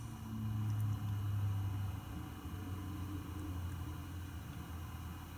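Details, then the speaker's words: GTX 980 reference graphics card fan at about 1100 rpm, microphone down by the tower: soft steady hum with slight level wavering, no rattle; normal, nearly silent from desk height. "Right now I cannot, because 1100 RPM is almost completely silent as far as when your head's not down there by the computer."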